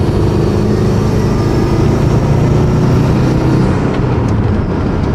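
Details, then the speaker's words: 2002 Subaru WRX after the front coilovers were raised about a quarter inch: driving hard, there is a steady engine and road rumble and no tire rubbing on the wheel well or fender liner. "so far everything seems pretty smooth. I mean, I've been ripping it around for a good minute and I don't hear any of the noises that it would make whenever I hear it hit the wall a little bit or the fender liner."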